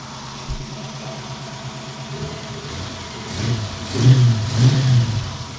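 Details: 1932 roadster's old petrol engine turned over for the first time after work, distributor set by guess at about 10° advance, starter weak with low voltage; idles low and even, then revs cleanly without misses or knocks; running good.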